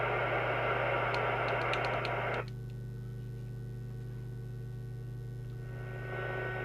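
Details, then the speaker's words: Moonraker Minor II Plus UK CB radio on receive, channel 20, with a close signal from a signal generator on FM. A steady thin CPU whine sits over the hiss and hum, like the previous model but perhaps less nasty. The RF gain still has no effect on FM. "got nasty wine like the previous model probably not as nasty"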